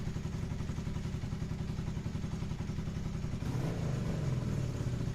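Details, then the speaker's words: Motorcycle after carburetors removed and bench-synced then reinstalled; steady low even thumping with slight rev lift near the end; running smoothly, still a little lean but much better. "She's still a little bit lean, but like, holy shit, it runs so much better."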